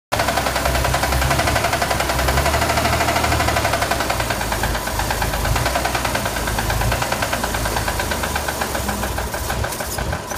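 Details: Chevrolet Corvair air-cooled flat-six idling rough and clattery with a persistent knock; owner asks whether it is rod noise.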